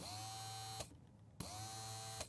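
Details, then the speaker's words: BMW Z4 convertible top fails to open: two short bursts of electric motor hum, each ending in a click, with no movement. The top unlatches but goes no further, the light blinks red, and it is stuck manually. "Now I'm super confused because the motor works, so what's holding it from actually opening up?"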